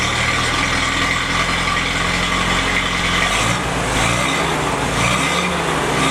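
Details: Freshly rebuilt F-head four-cylinder in a CJ5 snowblower Jeep at first start-up, heard at the rear through the homemade muffler; steady, throaty idle with an even low exhaust beat and no knocks or misses. Normal idle.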